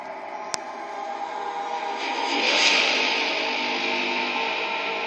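Steady rushing hiss with a faint ringing tone that swells for a couple of seconds as the train runs through the tunnel.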